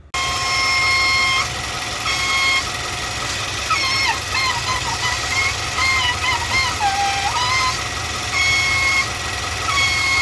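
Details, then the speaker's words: 2019 Nissan NV3500 5.6L V8 VK56VD, about 38,000 miles, at idle: loud steady high whistle wavering slightly in pitch from a collapsed PCV/blow-by hose restricting airflow; vacuum whistle from collapsed PCV hose. "it looks like it may have just collapsed uh which is then causing some kind of weird um restriction in the air that's flowing between these two areas and then causing it to make this a super loud annoying sound"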